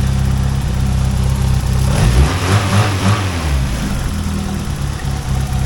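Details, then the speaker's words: Yugo, old petrol four with old Bosch injectors, valves just adjusted and shimmed, new DIY exhaust: steady idle with light fast ticking over low hum; normal injector tick, nothing wrong. "Listen to that little injector tick. Those old Bosch injectors have such a tick."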